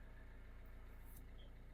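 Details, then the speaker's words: 2020 Citroen Berlingo idling, brought in for an intermittent clutch pedal not engaging and rough gear entry: a steady low idle with a fast, even pulsing hum and a tiny vibration from the gearbox side. Gears currently shift fine; cause not confirmed. "Next Step I'm going to start the car I can hear some vibration from gearbox side like"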